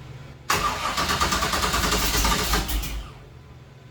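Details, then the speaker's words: 1966 Chevy Nova wagon with a supposedly rebuilt 327 small block, fuel being drawn as a workaround: the starter cranks, the V8 catches and roars unevenly for about two seconds, then stumbles and dies. The owner suspects a junk fuel pump. "well it wants to run donut fuel pumps junk"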